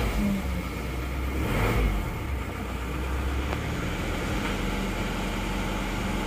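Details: Isuzu Panther diesel after new liner rebuild, first start, still cold: steady low clatter settling into an even idle after a brief rev, no knocks or misses. Healthy cold idle.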